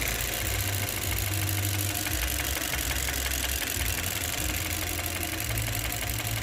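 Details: 2018 Chevrolet Cruze 1.4L turbo misfiring at idle with codes P0300 and P0201 (cylinder 1 injector control circuit): lumpy, uneven low beat with periodic stumbles instead of a smooth hum, one cylinder missing; mechanic suspects bad cylinder 1 injector, unconfirmed.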